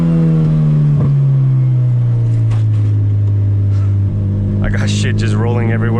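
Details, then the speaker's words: Boosted CRX on its first drive after sitting seven months, first-gear pull: strong, clean, even rising note with no flutter or stumble; an earlier noise did not recur this time, owner unsure why; normal acceleration. "yeah it didn't it didn't do that noise right there that time so I don't know maybe it just needed to get sent"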